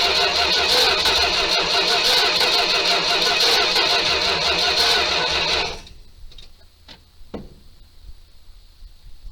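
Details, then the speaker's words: 1978 Dodge D200 crew cab 318 V8, abandoned 17 years, first start on gas and ether: loud ragged running with hard uneven pops then dying; backfiring heavily, suspected to need carb work, timing questioned. "Well, I think she could use a little bit of carb work. Well, she's gonna run, but she's backfiring like crazy, so I don't know if the timi"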